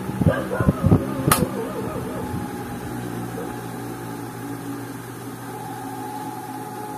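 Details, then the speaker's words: Standard electric desk fan after repair of hum-but-won't-spin fault (worn bushing, dirty and dried of oil, bushing replaced and lubricated), running on speed 2: after handling knocks, steady even hum with clean motor tone, running smoothly and strongly. "Master no bale Okay na siya mga Master at nagawa din natin no bale yun lang yung sira niya yung kanyang bushing at madumi nating at natuyuan na din ng langis kaya nagkaganon siya mga Master"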